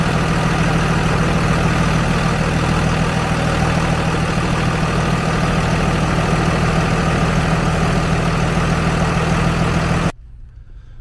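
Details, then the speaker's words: Dodge 2nd-gen 5.9 24-valve Cummins diesel after installing an Airdog 100 GPH lift pump and big line kit: even, steady diesel clatter at about three beats a second, no misses or stumbles, then shut off; normal idle. "well that is the most quiet fuel pump I've ever heard in fact I had to look twice to make sure it was even running um so I bumped the key it ran for 30 seconds fired the truck up and it hasn't missed a lick"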